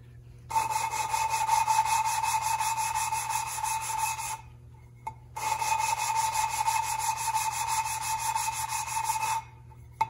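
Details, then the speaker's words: 1974 Triumph TR6 valve lapping: quick back-and-forth rasping strokes, about four a second, in two even bursts. The sound turns from rough to smooth as the compound spreads out, meaning it has stopped cutting and the valve should be lifted and relapped. "i hope you can hear how in the beginning it is more like you can hear it sounding and then at the end the as the compound gets spread out you can't hear it that rough anymore it's very smooth which means it doesn't do much"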